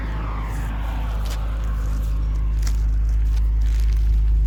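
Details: 2004 MG ZT-T+ 180 V6 idling after a misfire was repaired by replacing the coils: deep, even idle with a steady low beat, no stumbles or missing pulses; runs smoothly.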